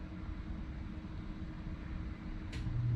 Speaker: Head kicked on. We'll shut that off. Unfortunately, the furnace takes a little bit longer to shut off than the AC unit does.